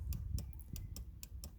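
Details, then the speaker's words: Audi Q5 tailgate taillight micro switch, one of two contacted by the closing boot lid to power the tailgate lights: quiet, crisp single clicks about every quarter second, switch actuating cleanly. "So when the boot lid comes down, it goes in there, and it just touches those two micro switches, pushes those up, and the lights on the tailgate work."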